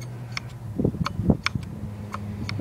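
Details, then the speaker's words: Hard drive with two platters spinning at about 7,200 rpm: sharp irregular ticks over a low steady hum as the heads seek back and forth locating data, e.g. during defrag or disk check; normal seek clicking. "what you hear when you hear your hard drive clicking is this thing going back and forth getting all that data especially on a on a defrag or dis check you will hear that click sound"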